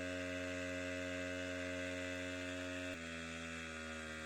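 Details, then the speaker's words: Wick 375 high-pressure fire pump two-stroke after starting, choke open and engine speed raised to pressurize the hose: a steady, even buzz that steps down slightly in pitch partway. Clean normal running under pump load. "with the engine now running you can immediately increase the engine speed to pressurize the hose line and start pumping water"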